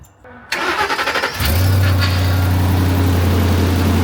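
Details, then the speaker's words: 2008 Ford F-350 with only 30,000 miles, sight-unseen auction truck, parked with bad brakes, started off a weak jump pack: brief crank, catches at once and settles into a steady deep idle; healthy start, runs well, no leaks seen. "runner. Finally, we got a good truck in here. It sounds good. There's no leaks. Finally."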